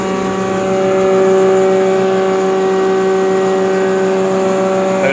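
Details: Nut-and-bolt restored John Deere 6A hammer mill, converted to single phase: steady even hum with a clean constant tone, no knocks, rubs or bearing growl; running smoothly.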